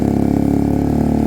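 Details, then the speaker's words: Sinnis Cruisestar with a new aftermarket exhaust, cold idle on choke: even idle with a sharp ticking puff on each firing pulse, as the pipe is loose and not sealed at the head despite shims. "it's uh it's loose on the pipe uh a little bit of gum gum would sort that out maybe some gum gum wrap"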